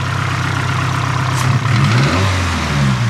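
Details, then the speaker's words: Nissan SR20DET (S13/180SX/240SX) with the IACV idle air screw turned fully closed, plugs gapped 0.032: engine blips up on the throttle, then revs sag and stumble and it cuts out; starved by the closed idle air screw. "what happens cuts out [Music] if i start it like how it is now it'll just start and cut out again"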